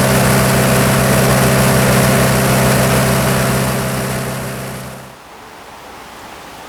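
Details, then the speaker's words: Military surplus diesel generator after years of sitting, running 15 to 20 minutes warm with battle short switch bypassing over-voltage trip: steady even diesel drone, no knocks or misses, then smooth wind-down; gauges normal, thermostat opened. "right I've had the engine running for probably 15 to 20 minutes now and I went ahead and checked all the gauges everything looked normal"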